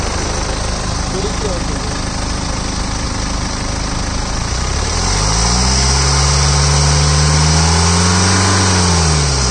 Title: BMW 320 D, Engine noise, 2013.